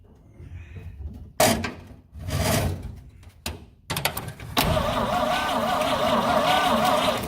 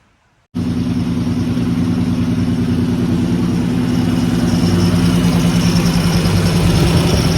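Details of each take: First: 1950 Dodge B2B truck parked since 1978, cranked in neutral with rear wheels on jack stands: starter spins in short bursts then longer steady crank, never catches; no spark at points, rotor has half a turn of play on distributor. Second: 1950 Dodge B2B truck flathead, parked since 1978, fed from a temporary tank through all-new hoses with filtered gas and a working fuel pump, with no leaks: a steady, even low idle that holds smoothly and lifts slightly. Normal idle.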